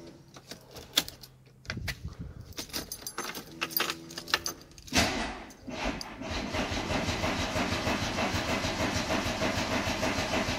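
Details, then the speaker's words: 1990 VW Golf MK2 GTI after fuel pump repair, battery reconnected, starting from cold (known poor cold starter); several bursts of cranking, then it catches into a rough, noisy run: slow, hard cold start. "I warn you know this car is very safdie from cold so it may sound awful but we'll give it a go"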